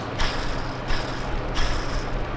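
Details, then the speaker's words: BMW E46 track car, engine running: over steady rumble a rough whirring surge repeats about every 0.7 seconds from a pulley, which was replaced because of this noise; noisy pulley. "Matt's gone ahead and changed this pulley as well because it sounds like this."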